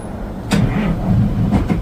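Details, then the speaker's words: Cold start of a 1962 Peterbilt, keyless push-button start: a sharp catch, then a heavy low diesel rumble that builds and settles into a steady run, starting cold without trouble. "Push button, start it. We'll give it a cold start so people can see it."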